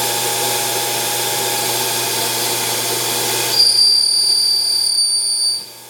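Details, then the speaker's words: CNC lathe boring a milling-machine spindle pulley, with the boring bar sticking out about 1.5 inches or more. Cutting noise turns into a sharp, steady high-pitched squeal of chatter on the finish pass, even at a faster speed. "boy, it does not like that finish pass. I even tried faster this time. So I figured out the reason for the chatter on that last pass."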